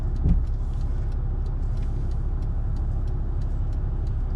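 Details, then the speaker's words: 1991 Mercedes-Benz 420SEL V8 idling while driving: low, even engine hum with steady loudness and no knocks or misses, engine mounts good; smooth normal idle. "Engine mounts actually feel really good. The car idles extremely smooth."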